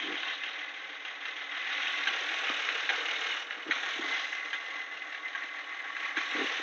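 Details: Nissan VQ25DE engine at settled idle; light, uneven ticking, a few clicks a second from the top end, owner suspects the IACV but is not sure.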